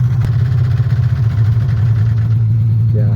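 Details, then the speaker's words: A $25 used two-stroke snowmobile on a cold trail ride: a rough burble with uneven, stumbling pulses at low revs, sputtering and missing; the rider suspects a fouled spark plug. "I think I fouled the plug. Oh, really? That's what it sounds like. Yeah, pretty bad."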